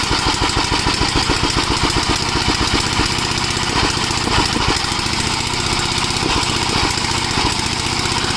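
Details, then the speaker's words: Gravely tractor, unrun about a year, cool day: quick, even single-cylinder popping at steady speed, no misses or knocks; running normally. "Anyway, seems to be all right. I haven't ran this in about a year."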